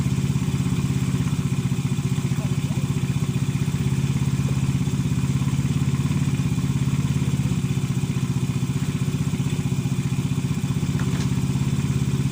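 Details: Motorcycle engine that starts hard because a sunken valve leaks compression: low, uneven thumping idle at about a hundred beats a minute with a loose, irregular rhythm.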